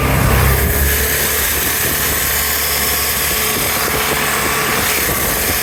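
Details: 2011 Vespa LX 150ie scooter makes a rough, gritty grinding noise over the engine when accelerating; source not identified.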